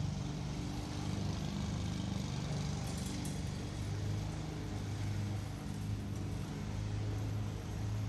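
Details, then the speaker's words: New Husqvarna AutoMower 450X robotic mower on its first mow, cutting grass left uncut over 10 days: low, steady motor drone pushing through tall grass under heavy load without stalling or rattles; running normally. "I just bought this thing and I'm kind of done mowing the lawn so I figure out to give it a hard job to begin with just to see what the difference is"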